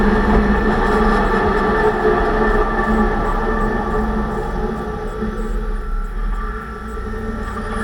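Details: 2006 Range Rover Sport after differential rebuild for vibration and howling, all new bearings and races, pinion preload set at 35 in-lb: steady droning hum with faint whine over road noise while driving; owner suspects preload too high, perhaps should be 20 in-lb.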